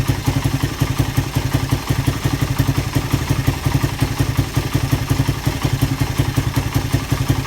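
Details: Suzuki Satria FU single after repair of compression loss caused by a badly leaking valve, with a new piston: an even, steady putter at roughly three beats a second with no knocks or ticks; a healthy, settled idle.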